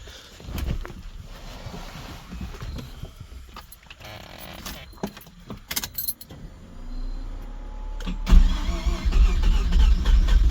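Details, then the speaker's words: Mazda RX7 rotary, started to move it onto a trailer before diagnostics: after handling noise it runs with an uneven, lumpy low beat instead of a smooth hum, like a misfire; owner unsure of the cause. "that doesn't sound good at all"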